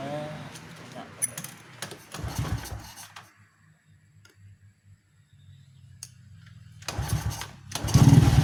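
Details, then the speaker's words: Honda Supra X 125 motorcycle after fitting Jupiter regulator/rectifier and Shogun 110 CDI: low steady single-cylinder idle picking up cleanly into a strong rev with no stumbling at high rpm. Normal idle and revving. "Suara mesin saat idle terdengar bagus dan tidak tersendat pada putaran tinggi."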